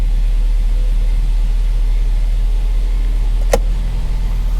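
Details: 2010 Chrysler Sebring Touring four-cylinder salvage car, idling just after a cold start: steady, low, even rumble with no knocks or misses. A normal, healthy cold idle.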